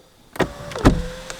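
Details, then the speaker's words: 2020 Mahindra XUV500 W9 automatic, about 5,364 km: sharp clunks as the sunroof starts opening, then thin motor whine with rattling and vibration felt at the rear of the car; sunroof noise, cause unclear. "Let me show it to you guys again and just see the kind of vibration that happens here at the rear end of the car when I open the sunroof."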